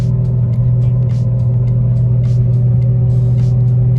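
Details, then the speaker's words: Audi 90 Quattro being driven at cruising speed: loud steady low drone with road rattle from the rear; owner suspects a failing right rear wheel bearing/hub. "e comfortable driving it now but as you can hear there's all this noise from the back I there's the right back right side has like a wheel bearing that is about to like give way like I've never heard a car this loud"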